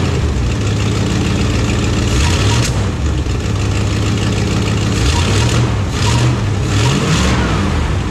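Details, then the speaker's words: 1974 Plymouth Satellite V8 idling with a few throttle blips; a raspy puffing tick rides over the exhaust beat from an exhaust leak, owner unsure it can be fixed, carburetor recently backfired once. "I can see, man, that exhaust leak's about annoying, ain't it? So we got that exhaust leak."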